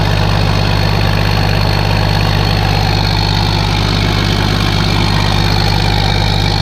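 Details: Case 1450B dozer with a freshly rebuilt diesel engine, just started after reassembly: steady idle with an even beat of about 200 per minute and no knocks or misses, and the idle is normal.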